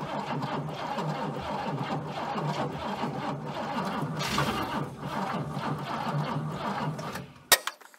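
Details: Abandoned Chrysler Valiant VG, not run since 1997; first start attempt after fitting distributor (slant-six dizzy), battery, coil and leads. Steady rhythmic cranking about seven seconds with uneven catches that never take; won't keep running, timing/fuel suspected.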